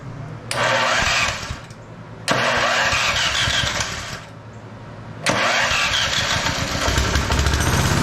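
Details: TrailMaster Mini XRX go-kart, starter gears lubed, on 2-amp charger, choke cable sticking: three quick cranks, single catches each time, steady buzzing idle without misses; starter seems to drag.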